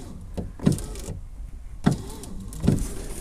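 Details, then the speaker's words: 2005 car, just over 130,000 miles, power window operated with the switch reconnected. Short bursts of motor whirr, about three in a few seconds, with no glass travel: regulator drum seized and cable corroded and snapped. "it's definitely trying I can hear the motor trying see if I can help it that's not a great start okay this would suggest that something is stopping that motor from working"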